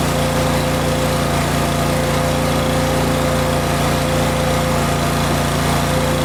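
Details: Older Kohler engine on a Miller Bobcat 225NT welder/generator, fully warmed up after idle control module fix: steady, even drone with constant pitch and no hunting or surging, running smoothly.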